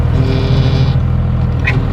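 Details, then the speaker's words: Cummins diesel truck, engine idling while wheel turned to prime power steering gearbox: steady low moan from power steering pump with no fluid in the box; driven that way long, now being fixed. "usually when i'm driving and i go to turn that's what it sounds like when there's no fluid in there and i've been driving like that for a long time and we finally fixed it"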